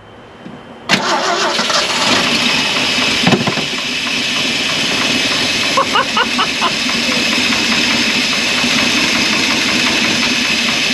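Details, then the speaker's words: Classic Ford F150 with 300 inline-six, sat 29+ years, was locked up: long steady fast cranking with a few uneven catches, then runs; good oil pressure but one cylinder suspect, very rusty sounding. "holy rust that sounds about like a 300."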